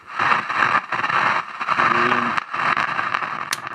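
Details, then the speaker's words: 1965 Nordmende Transita Automatic radio on medium wave: steady hiss with irregular crackles and pops, no station received, noise on every band; suspected very bad capacitors, cause not yet confirmed. "turn it to medium wave this noise sounds like some very bad capacitors"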